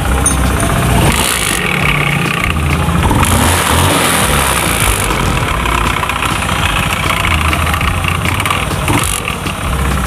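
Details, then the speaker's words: Honda Beat FI scooter at idle and light revs: busy clattery rattle from the CVT, sounding like worn rollers or roller housing; cause not confirmed. "Jadi kalau kita perhatikan ya teman-teman suaranya itu seperti suara roller ya atau rumah roller yang sudah haus"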